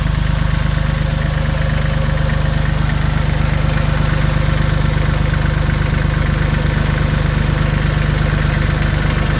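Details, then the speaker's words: Refurbished Yanmar YM1720D 4x4 compact diesel tractor, with new hoses, belt, starter, battery and air filter, idles with an even, steady diesel clatter, no misses or knocks and no smoke; runs well. "Go ahead and pause it and I'll start it up. Really good. Runs like a top."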